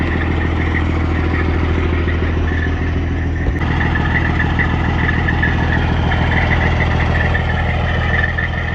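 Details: Freightliner Cascadia with a straight-piped Detroit 60 Series diesel, in neutral, warmed up a little after a cold start: loud, even rumble with a steady clatter about twice a second through the open pipes, no misses or knocks; healthy idle.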